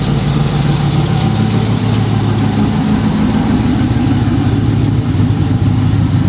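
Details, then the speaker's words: Dodge Charger Pursuit V8 after bad-lifter repair, reassembly and cam install, with idle tuning: a loud, deep idle with an even, steady lope and no ticking or knocking, a normal healthy idle. "It gets looks everywhere because you can definitely hear the exhaust. Just generally, I like the car a lot. It feels a little bit more rowdy."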